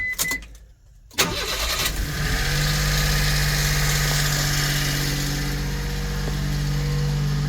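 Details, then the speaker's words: 1999 Mitsubishi Minicab 4x4, 13,050 miles, recent timing belt, water pump, seals and oil change, cold start: brief starter whirr, then a steady, even idle with no smoke. One faint valve tick that fades when warm; valves need adjusting. "Let's start it. Starts and runs very good. I like Mitsubishi's."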